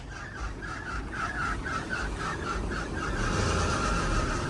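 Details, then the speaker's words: Isuzu KB300 diesel idling with AC on at an aircon shop during gas refill: repeated high chirping squeal about twice a second, very loud; owner suspects a bad AC belt or pulley, not confirmed. "Just found out now that I think my belt or my pulley on the AC, it's bad. It's bad, so it's making this noise."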